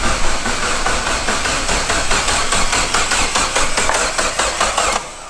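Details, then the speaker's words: Dodge Neon SRT-4 with a Precision PT6062 turbo, first start-up after wiring and assembly: the starter churns at three to four even beats a second and never catches. No fuel pressure because the tank has no gas. "no pressure you ain't got no gas do it oh my god wow yeah i was supposed to go out and go get coolant and gas and i forgot to get gas"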